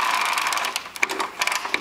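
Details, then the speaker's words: Lawnmower wheel with modded retread, after greasing the bearing, spun by hand: irregular light clicks as the drive ratchet catches cleanly; working as it should. "Hear that clicking? That's good. That means it's working. All is working. Everything's working great."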